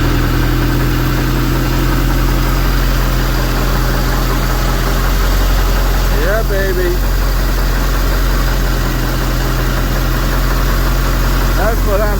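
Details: 2006 StarCraft C-Star 1700 Sport boat with a Volvo Penta 3.0 GLP-D and a Holley two-barrel carburetor, run at home after the fuel pump, carburetor and starter were replaced. A low, steady idle rumble without misses, with faint chirps in the background.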